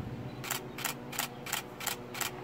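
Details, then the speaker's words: Canon Rebel T7i (800D) DSLR set to low-speed continuous drive with the shutter button held: six crisp, evenly spaced shutter clicks at about three per second, each clean; continuous shooting working normally. "come over here low speed shooting continuous so as long as you're holding down the shoot button listen"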